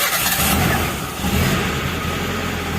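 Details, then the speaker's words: Daihatsu Zebra Espass running without the fuel pump relay, which has been unused since at least 2013: brief cranking burst catches quickly and settles into a low, steady idle without misfires; normal cold start. "ini sudah nyala teman-teman tanpa menggunakan relay mobil saya tidak menggunakan relay ini ya relaynya belum saya pasang"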